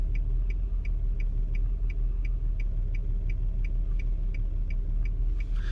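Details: 2002 Nissan Altima 3.5 SE V6 that stutters under hard acceleration despite a replaced ignition coil: low uneven idle rumble with a light tick about three times a second; engine putters and hunts; rough idle.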